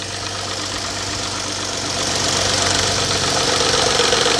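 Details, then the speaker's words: 2011-2012 Dodge Charger 3.6 Pentastar V6 idling cold after start: hard, diesel-like knock near the top of the engine, about four per second, stopping suddenly; codes P0349 P2638 P0340 P000B; suspected stuck cam phaser spring, not valvetrain tick; not confirmed. "i hate it ladies and gentlemen that is not a val train ticket noise yes it sounds like it's right here look see how i just stop all of a sudden it just stopped because the cam phase of the spring mechanism inside the phase is likely caught up with itself"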